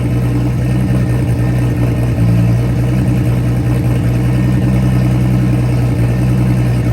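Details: Nissan R32 RB20 straight-six, first start in 3 years, open downpipe with no exhaust: loud, deep, steady idle with an even beat and no knocks or ticks; engine sounds healthy despite earlier concern, normal idle.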